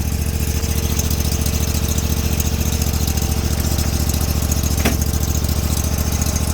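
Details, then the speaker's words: Sears Suburban snowblower, 20HP Briggs V-twin, fuel filter fairly plugged, battery weak: even, steady low idle thrum running on both cylinders, no misses or knocks. Owner believes a fouled plug caused earlier issues. Normal idle. "that sounds way better she's running on two that is so far just normal exhaust"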